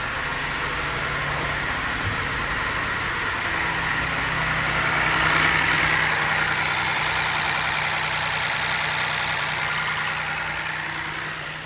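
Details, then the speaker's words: Ford Ka 1.0 three-cylinder at 114,605 km with the oil light on, at idle: a heavy, steady rapping of about three or four knocks a second over the engine note, caused by worn rod and main bearings. "já vou desligar eu não quero ficar funcionando esse carro a luz de óleo acendeu e Vocês ouviram aí o barulho do motor é assustador para o dono do carro"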